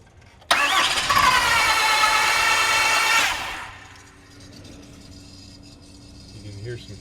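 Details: 6.7L Cummins no-start that cranks as if it had no compression; the valve train moves and no broken valves are seen: a quick, even crank for about three seconds with no catch or firing, then quiet.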